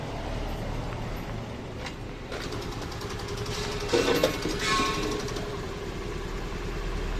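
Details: Honda Activa scooter just after an engine rebuild and refit; the earlier noise was traced to a worn crankshaft bearing. Now an even, steady small-engine putter with no knocks or rattles, running normally.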